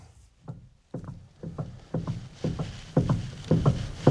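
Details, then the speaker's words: Built 1994 Honda Civic EG with manual steering, after a steering rack adjustment, wheel turned on the ground: dull, faint clunks about twice a second that seem to come from the dash near the steering U-joint, which is suspected. "you hear that clunk it kind of sounds like it's in the dash where my steering U joint is it's very faint bit"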